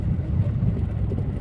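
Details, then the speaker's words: Skoda after door rattle fix, driving over rough road and big stones: only steady low tyre rumble, no knocks or buzzing from doors or window glass; rattling resolved. "थोड़े बड़े पत्थर है इस पत्थर के ऊपर से जाने पर भी रोड की सॉरी टलिंग की नॉइस बिल्कुल नहीं आ रही है"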